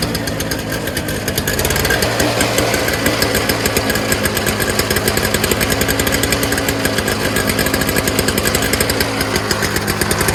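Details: Early-2000s Toro Snow Commander 7 hp R-Tek 24-inch single-stage two-stroke snowblower after the fuel line was cleared and the fuel system fixed: a fast, even two-stroke buzz settles in after a ragged start and holds steady. Smoke is clearing, running normally.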